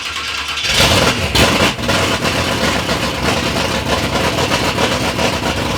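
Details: 3rd-gen Camaro big-block Chevy V8, first start after years of building: catches after a brief crank and settles into a loud, lumpy but steady idle with no knocks or misses; normal idle, sounds healthy.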